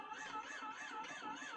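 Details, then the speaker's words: Battery-powered pill crusher (device with iffy batteries, replacements bought) crushing one Tylenol pill: thin motor whine wavering in pitch several times a second, sagging and dogging down under load; would bog more with 3–4 pills; cause suspected, not confirmed. "See, it's kind of dogging there. One pill at a time, it's not bad. We usually crush about 3 or 4 at a time, so it will dog down more the more load you got."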